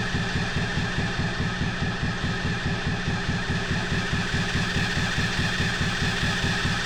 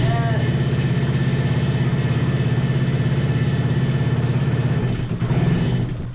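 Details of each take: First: 125cc drift trike engine, forklift-damaged, with battery booster on: even starter cranking for seven seconds with no firing; spark is good but no fuel arrives, and the owners suspect a clogged carburetor. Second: 125cc single-cylinder drift trike engine, just started after fuel work with booster on: even firing pulses at roughly two hundred a minute, a slow but steady idle that the owners call too low.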